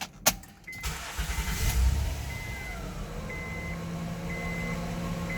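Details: 2009 Honda Accord 3.5 L V6 at idle: thin high-pitched whine from the alternator, not the power steering, caused by a failed rectifier diode. Whine disappears when the alternator is disconnected; replacement needed.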